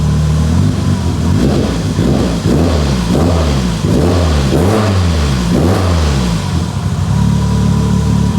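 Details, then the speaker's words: Abandoned Mitsubishi Evo 8 restoration, first start on base map, earlier cylinder 1 not firing: strong even engine climbing and falling through repeated rev blips, smooth with no knocks or misses; sounds healthy. "wow this sounds so good wow I'm appalled"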